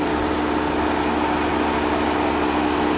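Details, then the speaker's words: 2019 Dodge Ram 1500 Classic Tradesman after throttle body and intake cleaning and reinstall: steady, even hum at idle with no misses, knocks or surging, and the radiator fan works; running perfectly. "Okay, everything seems to be running perfectly. Radiator fan is good."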